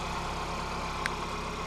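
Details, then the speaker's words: Skoda Fabia Monte Carlo Black Edition, about 58,258 miles, sold as a non-runner, first start: steady, even idle hum with no knocks, misfires or whine; sounds good, normal idle. "what's your purse she sounds good"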